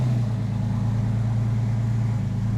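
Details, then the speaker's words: 2001 Porsche 911 Carrera 4, freshly rebuilt M96 flat-six converted 3.4L to 3.8L, first start: smooth even low rumble at idle, good oil pressure, no ticking or knocking; normal idle. "okay we've got good oil pressure wonderful love to see it she sounds really really really good no ticking nothing"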